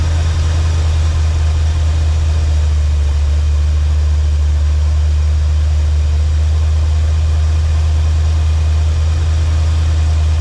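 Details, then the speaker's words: 1984 Chevy Silverado after swapping a 305 for a 350 V8, idling with about 12 degrees advance: deep, even, steady rumble with no misses; previously died when idled down. "About 12 degrees at advance right now at idle. Pretty steady. Sounds good."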